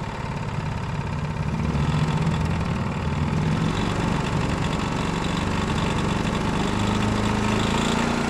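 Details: Honda GX390 single-cylinder engine running on Predator 301cc parts, with the valve just sorted, choked, and carb bowl still leaking: steady, even chug at constant speed with no top-end ticking; normal running.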